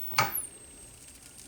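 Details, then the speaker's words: K7000 25-inch arcade monitor: click at power-off, then a thin whistle slides down and holds at a high pitch; owner thinks the flyback may re-energize, cause unclear. "See? It's doing that noise. Did you hear that? It sounds like the flyback re-energizes, or the I've heard that before, but I can't recall if that was an actual issue or what causes that."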